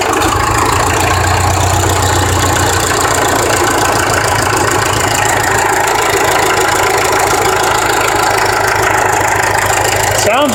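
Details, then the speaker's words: John Deere JD 400 tractor, about 1969-70, sat in a field for years, first start after cleaning out sludge. Starts right up and holds a steady, even idle with a low, smooth beat, no knocks or misses; engine sounds healthy. "good in there it really does the engine the engine sounds healthy oh this all right so ready starts right up though"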